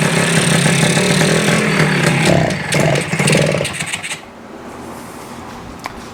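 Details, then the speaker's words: Kawasaki F7 Bushwacker two-stroke on its first startup attempt after the carburetor, muffler, electrical and battery were installed, ignition on and choke on: a small engine buzzing and popping evenly, revving up and down before dropping away. It sounds healthy and runs normally. "Got the ignition on, choke down. Oh, that's sounds good."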